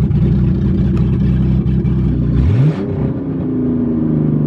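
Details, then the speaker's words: Mustang with stock header, no O2 sensors, after loading a new tune (EGR removed): revs up and settles smooth and even with steady low rumble, no knocks or misses; runs healthy, ready for twin-turbo build. "this sounds a lot more healthy now that the engine is ready to be twin turboed and everything is ready to be done"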